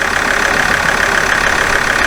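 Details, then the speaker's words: Alfa Romeo 159 diesel after repair, earlier start sounded horrific: steady, even diesel clatter at idle, no knocks or squeals, warming up toward temperature; sounds like a healthy diesel. "Sounds a lot better. That sounds like it should do. That sounds exactly what a diesel engine should sound like."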